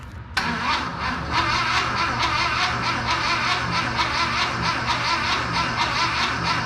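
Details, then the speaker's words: VW Bus engine, just installed, first crank attempt: slow, labored cranking with an uneven chug and no firing; everything turns over, but the starter drags because the battery is flat. "yeah everything's turning yeah okay all right so that's a good sign cranks over uh batteries toast I just need to get a new battery"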